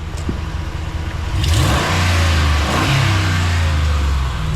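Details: 2014 Ram 1500 Sport quad cab, 180k miles, known leaking exhaust manifold: engine climbs cleanly from idle to higher rev and settles back, smooth with no knocks or misses; normal free rev.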